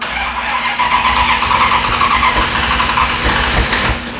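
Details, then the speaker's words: Pro street tubbed Little Red Express truck with swapped power plant: laboured, uneven slow cranking that drags without catching; hard starting blamed on a battery drained by being started all day. "Oh, the battery. The battery. Uh-oh. You know what? Those guys have been starting it all day. That's what the problem has been."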